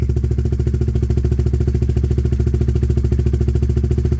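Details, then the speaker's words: Honda CBR125 streetfighter project, single cylinder, idling cold while warming up during pre-MOT checks: an even putter with evenly spaced pulses and no misfires or ticking. The idle is healthy. "So let's fire it up so that it can warm up for a bit."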